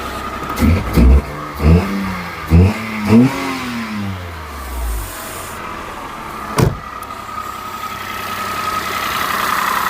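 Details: Peugeot 107 three-cylinder on a cold day, just after replacing the dead coil pack: four or five cranking pulses, then it catches and settles into a slightly lumpy idle, normal for a three-cylinder.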